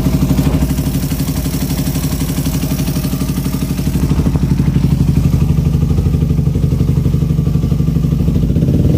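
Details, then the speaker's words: Suzuki Satria FU carburetor after fitting 17.5 pilot jet for racing exhaust and fixing an exhaust leak: deep, soft, even exhaust thump, smoother and more stable than before; normal running. "Setelah diganti itu suara anginnya juga lebih enak, lebih stabil, lebih cocok dengan sinar knalpotnya. Ciri khas dari airline ya, lembut, ngebas."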